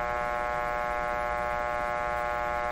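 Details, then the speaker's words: 1925 Magnavox Type D TRF radio on bench power supplies, restoration: steady low buzzing hum with overtone ladder, no station audio; one power supply suspected of producing the hum, lowering main B+ gave no change. "one of my power supplies is coming with a hum let me knock down the b the main b plus and just see if that disappears"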